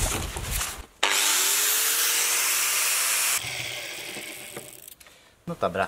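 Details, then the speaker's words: Angle grinder after fixing vibration from a bad disc that had loosened screws and leaked grease: spins up to a steady high whine, holds evenly, winds down, with less vibration and quieter running. "the vibrations seem to be less. And it definitely works quieter, so something is better."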